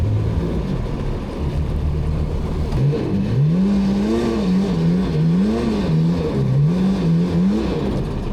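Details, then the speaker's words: 2003 Sea-Doo GTI RFI jet ski on lake test: engine revs surge up and down, winding out freely without loading, little or no propulsion; owner suspects worn jet pump wear sleeve. "The thing is just winding out, and no propulsion or very little propulsion."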